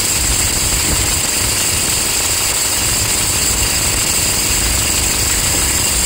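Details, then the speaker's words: Toyota Hilux 2.5 diesel idling with a harsh, steady scraping hiss plus a bearing-like undertone from the alternator freewheel pulley on the accessory belt. "você vai perceber que milésimos de segundo antes de do carro parar totalmente ela para o barulho do do alternador"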